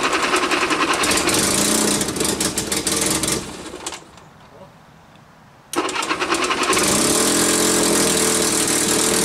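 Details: Cat D4C dozer's small starting motor on a cold start after sitting a year: fires with rapid even popping, drops out briefly, then catches again and settles into a steady run.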